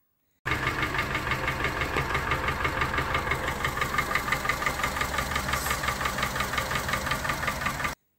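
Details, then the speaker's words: Honda Civic 4D petrol engine idling with a loud, steady clacking knock about three a second, unchanged after a camshaft replacement. The owner says it is worn pistons, i.e. piston slap. "даже, ребят, себя не успокаивайте. Это поршня."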